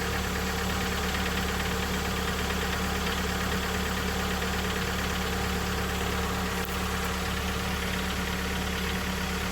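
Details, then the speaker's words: Mitsubishi Lancer X 4B1x-family petrol engine, cold idle: diesel-like clatter about two knocks a second, loudest on the left side, caused by excessive play in the exhaust cam phaser; intake phaser has none. "Стук. Сейчас он сильнее будет. Ну, он в основном вот с левой стороны вот здесь вот. Сейчас его отчётливо слышно."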